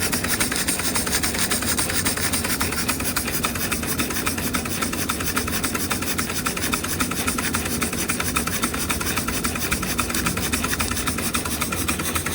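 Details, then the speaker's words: Josef Falk 456/4 Lokomobile steam engine, gas-fired, on its first steaming, running with no leaks: quick, regular rasping exhaust chuff about three to four beats a second, steady with no hiss bursts; normal smooth running. "No leaks anywhere. I imagine that's quite a powerful model. Anyway, it's running beautiful."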